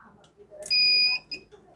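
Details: Microtek 825 A2 Plus inverter powering on in a quiet room: one shrill, steady half-second high beep as it immediately drops to battery-low while showing high current draw; no current back in the main lead, relay considered but doubted.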